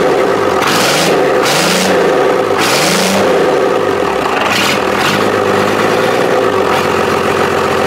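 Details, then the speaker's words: Cummins diesel in a long-bed truck on its first run after fuel lines were plumbed, shutoff solenoid not connected and idle unadjusted: fires cleanly, blipped and settling back several times, even clatter with no misses or knocks; normal diesel running. "it sounds sounds like the old Kubota I had here on the channel for a while without the turbo on it fired up sounded good"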